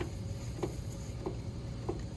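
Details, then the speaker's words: Pottery wheel spinning: steady clunk about every 0.6 seconds, once per turn, over low motor hum; bat loose and rocking because its pin holes are worn too big. "The pins aren't fitting the bat very well. You hear the clunk, clunk, clunk sound?"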